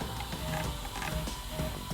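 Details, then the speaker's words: Modix Big60 v2 large 3D printer after a year of use, with closed-loop steppers: soft whirring with faint tones as the X and Y axes jog back and forth, without clicks or skipped steps; the axes move smoothly and very quietly. "but for a big machine like this to have just that noise for X&Y means that printing is extremely quiet"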